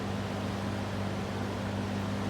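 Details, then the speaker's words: High-speed running of a vintage circa 1950-53 LAU "Niteair" 20-inch variable-speed, exhaust-only window fan. Even rushing air over a soft, constant motor hum with no rattle or wobble. Runs really well and fairly quiet, so operation is normal. "there is the high-speed rain runs really well for change"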